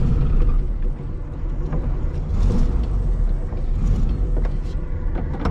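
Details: VW Bug with air-cooled flat-four, started hot after one throttle pump: steady, even low rumble with no knocks or misses, settling into a clean, healthy idle.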